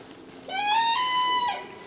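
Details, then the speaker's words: Cessna 172 stall warning horn demonstrated during preflight; steady reedy tone near 1 kHz for about a second, warning of approach to minimum speed; horn works normally. "you will listen this sound once you come close to the minimum speed and it warns you before it's too late."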